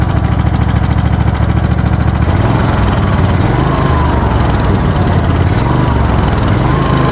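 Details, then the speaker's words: Old Craftsman lawn tractor with a 22.5 hp Kohler engine: rough, uneven running with a dull irregular knock about two per second under the exhaust; internal knock of unknown cause. "as you can hear it doesn't exactly run well it's developed some sort of knock inside it so that's no good"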